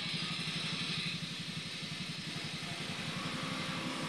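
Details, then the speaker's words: GD110 motorcycle that previously ran cutting out, after the broken corroded positive wire at the charger/regulator was bypassed with an extra wire: small single now runs a steady, unbroken putter with no stumbling; healthy. "so ito nilagyan natin nito nagdiretso na yung andar niya"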